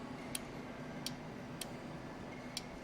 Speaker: yeah I can hear that relay clicking and this led LED one is turning on